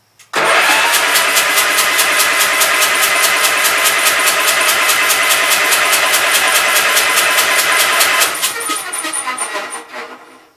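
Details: Gravely Pro 12 (shop's number 3) engine cranked by starter, spinning evenly about three beats a second for eight seconds without catching; no compression, owner suspects water got into motor; intake valve sticking, stuck open, later freed by tapping.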